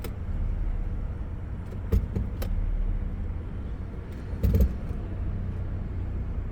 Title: 1997 Lexus LX 450 clunking noise when shifting from Reverse to Drive